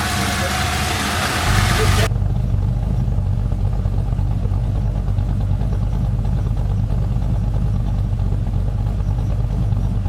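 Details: 1999 Holden R8 Clubsport Gen III LS1 V8, 250,000 km, first start after cam swap, idle still propped up, warming up with no warning lights: deep, choppy, uneven thumping lope of the bigger aftermarket cam, steady once warm; sounds okay.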